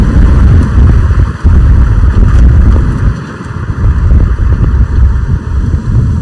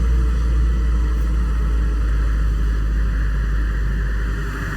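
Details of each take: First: 2005 BMW 545i E60 N62 V8 after oil change, driving at about 3500 rpm, heard from the cabin then windows down: deep, smooth rumble rising and easing evenly with throttle, no knocks or misses; normal engine while driving. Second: 2005 BMW 545i (E60) N62 V8 just after an oil change, idling; deep uneven rumble with loose pulsing about four times a second, more shake than normal, some lag; old unidentified noise that comes once the idle drops, rough idle, cause unknown.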